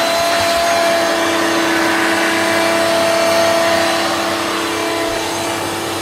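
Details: Hoover Turbomaster U5094 upright vacuum after refurbishment, brush roll off: even, steady motor roar with constant tone, no rattle, grind or wobble. Both motor bearings had been seized, fancase one spinning on the armature shaft; now smooth and healthy.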